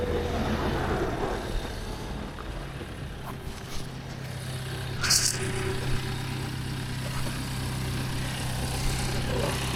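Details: BMW diesel idling steadily with an even low drone, checked for exhaust leaks after refitting the DPF. Oily, milky residue was found in the exhaust pipe, possibly coolant mixing. No puffing or ticking is heard; normal idle with no leak.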